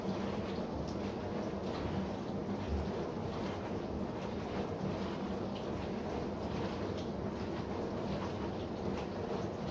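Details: Bosch SMV53M70EU/A5 dishwasher running with a steady low hum under the hiss of spraying water, caused by the seal of the upper spray arm.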